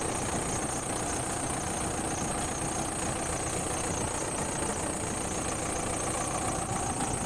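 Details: Bomag BW211D roller diesel idling at low idle with a steady, even rumble and no knocks or misses; oil pressure measured 5 kg at low idle, and the low-oil-pressure warning was traced to a faulty pressure switch.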